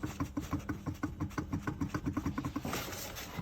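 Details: Tesla front suspension on diagnosis: quick, even knocking about seven times a second that follows wheel speed, with no engine underneath; knocking front half shaft after replacement.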